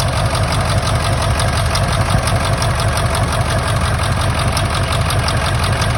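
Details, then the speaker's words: 1999 Ford F-350 7.3 Powerstroke diesel idling: loud clatter with uneven lumpy beat about three a second; injector misfire, one injector showing no oil when tested. "Okay, so obviously it ain't running that great still."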